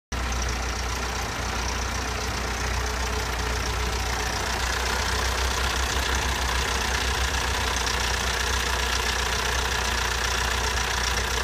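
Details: Toyota 22RE idling with loud, regular top-end valve-train clatter, about three ticks a second, tractor-like; it began right after a timing chain replacement.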